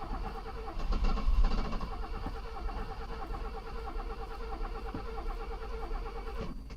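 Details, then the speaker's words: Mercedes under restoration, first start on its own fuel pump after briefly running: starter churns at about three beats a second with weak catches but never runs. Owner suspects the pump is too strong and flooding the engine; a fuel leak was also seen. "so oh okay we're having a problem here what i'm thinking is this fuel pump is too strong and it's uh flooding the system"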